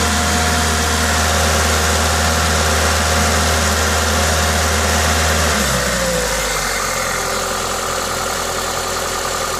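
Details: Toyota 2ZZ-GE engine at idle with an aftermarket induction kit: steady, smooth idle with an airy intake hiss from the kit, revs settling slightly lower partway through; normal engine noise.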